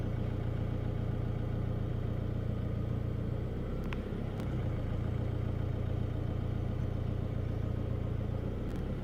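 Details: 2016 Chevrolet Colorado Duramax diesel at idle: steady low clatter, slightly uneven and lumpy, surging rough idle.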